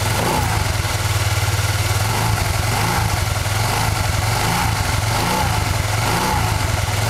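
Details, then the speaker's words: Honda Vario Techno 110 carburetted scooter running at low revs with a steady throb and no whistle, using the original clutch bell; only the pulley is noisy when it is squeezed. "gak ada suara sama sekali ya cuman suara pielnya aja yang berisik ketika kejepit"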